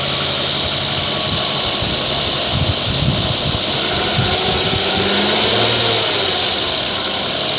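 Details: 2011 Kia Sedona just after startup: a busy hiss and rapid tick, roughly four a second, over the idle; source unclear.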